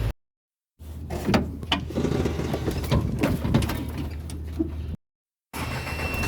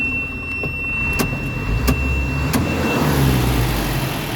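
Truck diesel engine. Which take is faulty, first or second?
first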